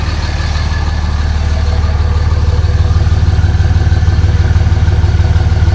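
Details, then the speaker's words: RAM 3500 dually diesel truck, low on fuel, mic at the tailpipe: steady, even low diesel rumble at about three beats per second with no misses; healthy idle with no blow-by seen. "Sounds good though, doesn't it? If you can even hear me."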